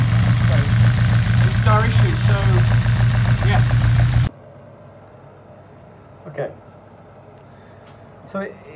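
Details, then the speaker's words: Honda Integra DC5 Type R idling unevenly, with a steady low drone and a regular stumble about three beats a second, as if running on three of four cylinders; the misfire cause is unknown. "well uh it still sounds a bit lumpy"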